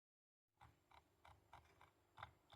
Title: Logitech g203 lightsync rattling sound